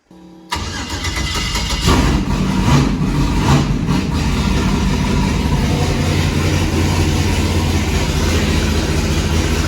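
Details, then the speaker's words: Built V8 that came with a turnkey race car, first run: fires up and settles to a loping, uneven pitter-patter idle, sounding like a John Deere tractor. Rough running. "it sounds like a tractor not so much like a case more like a john deere a little pitter patter"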